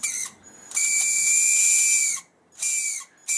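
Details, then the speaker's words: Traxxas Bandit/Slash Titan 12-turn 550 brushed motor spun freely to rule out the gearbox, giving three bursts of shrill squealing and grinding; it is suspected to be dirt inside and is cleaned with compressed air. "so we're gonna spin it and just see if we're still hearing that that weird squealing grinding noise"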